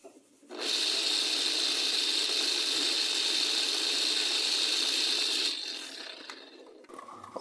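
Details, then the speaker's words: Kawasaki TCF1 submersible water pump repaired for loud humming and not running; after refitting the stator and cord the motor turns freely with a steady high-pitched whir for about five seconds, then winds down. "Okay guys, i-testing na natin kung iikot. Plugin na natin [sumisingasing] yun. Kaya niya guys, napaitok niya na guys."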